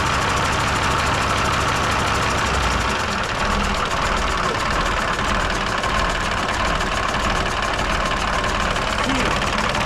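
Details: Mercedes OM366A turbo diesel (170 hp) at low idle after its fuel injection pump was rebuilt and timing set to standard, slightly later; steady even clatter, no stumble, all cylinders firing evenly; normal idle.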